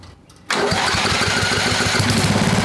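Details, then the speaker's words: Old Craftsman 10hp Tecumseh riding mower with water damage (milky oil) during engine run-in after carb tune; catches instantly and starts on its own, strong steady single-cylinder run; normal start. "so far so good guys um she's strong and she starts on her own now"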